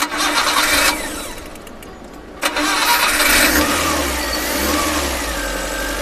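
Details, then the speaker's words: Changan Karvan engine after cranking settles to a slow, sagging idle close to stalling because the faulty idle air control valve is not raising rpm (it should raise rpm when cold, lower it when warm); low idle from IAC valve failure. "अभी क्योंकि यह बंद हो रही है गाड़ी क्योंकि बिल्कुल स्लो हो चुकी है ना इसका काम होता है ये आइडियल एयर कंट्रोल वाल्व है"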